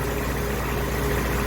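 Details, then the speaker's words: Engine after new plugs and wires, no smoke, 30 psi oil pressure, choke on: low, uneven idle with a wobble, easily stalled with the idle stop and dies if the choke is opened; rough idle. "down here, the idle stop... I can just about stop it in its tracks, and that's all with the choke on. If I open the choke, it dies."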